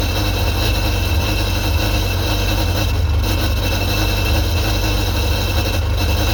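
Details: 2001 Sea-Doo GTX 951 DI two-stroke jet ski after rebuild, running on the flushing hose: steady low droning note, even idle with no knocks or misses; normal idle, sounds healthy.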